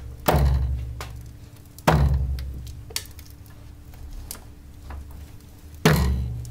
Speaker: algunos autos como los Volkswagen tienen una goma grande que sostiene el amortiguador con el chasis y usualmente si está dañada Al momento de dar vueltas y pasar por baches o desniveles suena el ruido